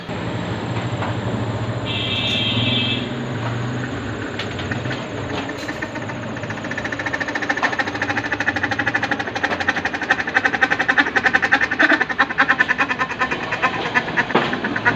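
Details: Washing machine dryer (spin) check: over the motor hum, a rapid rattling knock builds after several seconds of spinning and keeps repeating; abnormal knocking noise, source not identified.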